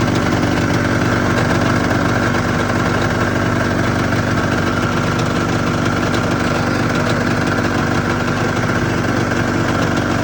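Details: 1996 Arctic Cat ZRT 600 two-stroke snowmobile idling after a fuel pump rebuild with a Vertex kit. Steady, even buzzy idle with no stumbling or surging: a normal, healthy idle.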